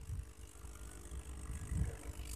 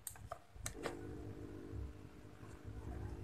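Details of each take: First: Aquarium aerator running, connected to the tank: a soft, steady low rush and bubbling of air with no electrical buzz; the noise comes from air forced through the air stone, not the pump humming. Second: Aquarium air pump (aerator) running after being wrapped in cloth and taped as a sound damper: low, steady, even hum with no rattle or buzz; noise reduced significantly but not fully gone, bubble output unchanged.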